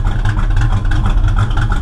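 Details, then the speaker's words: Running rich, smoking heavily out the tailpipes; rough, lumpy idle with uneven deep pulses and irregular pops and backfires; owner suspects the ignition timing is off 180 degrees. "Hear the backfiring? That's why I think it's timing. I think it's off 180 degrees."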